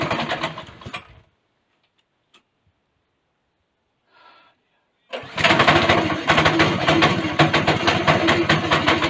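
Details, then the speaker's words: Go-kart small single-cylinder engine just after a governor bypass: quiet gap, then it catches and runs with a strong, even beat and free revving, no misfire. Normal running, though the kart's clutch is seized and grinding. "now that sounds promising"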